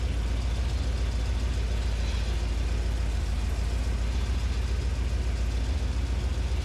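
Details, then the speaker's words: 1981 Corvette, first start after the rebuilt power steering power valve was reinstalled: deep steady V8 idle with a quick, even puffing tick about three or four times a second. An exhaust leak is heard. "all right we definitely have an exhaust leak I can hear that"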